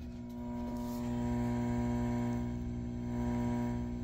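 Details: Home-built AA1164 Princeton Reverb tube amp clone with reverb turned up, volume around five; faint steady low buzz under a soft tone, acceptable normal quiet hum after work on the reverb noise problem.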